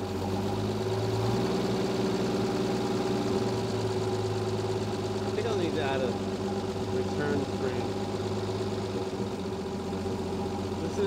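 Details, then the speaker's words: 1957 International Harvester A120 pickup sitting 30 years, first run after revival with no mufflers (straight pipe), low oil pressure noted, choke off: loud, steady open-pipe idle with an even beat and no knocks or misses; engine running healthy. "baby purr for 30 years it's got no muffers so that's straight that's straight pipe"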